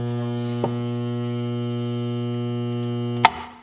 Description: My garbage disposal was humming and not turning.